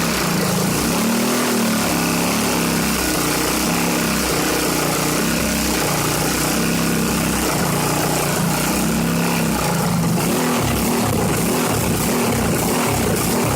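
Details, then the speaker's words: Briggs & Stratton 3.5 hp single-cylinder engine, no pull start, run with ATF and WD-40 added to the oil: heavy misfiring with bangs and fireballs from the red-glowing exhaust, ragged stumbling beat, black gunk leaking from head; owner thinks engine is worn out. "And now it misses a lot, and when it misses, it shoots big fireballs, and the whole exhaust pipe glows bright red"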